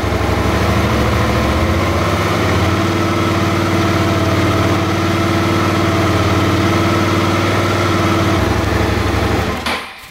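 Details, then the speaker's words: Suzuki DL650 V-twin with a replacement fuel pump fitted (the old pump's seal had failed, so pressure was dropping): a steady, even idle with no stumbles or sneezes before shutting off. The problem is solved. "единого чиха дело закрыто"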